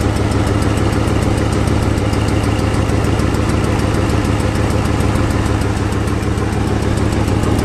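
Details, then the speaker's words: 2008 Ford Mustang GT (S197) V8 donor engine with 75,000 miles, just installed as a replacement for the noisy original; smooth, even low idle rumble with no ticks, knocks or stumbles. "this motor has 75,000 miles on it see sounds perfect that sounds definitely not not too bad as the last one"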